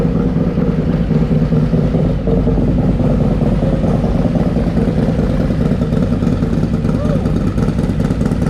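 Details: Harley Lowrider S, 131ci Stage IV kit with Cycle-Rama 512 cam replacing Screamin' Eagle 517, warming up before dyno: deep lumpy V-twin idle with crisp throttle blips, even firing, no knocks or ticks; healthy, crisper note.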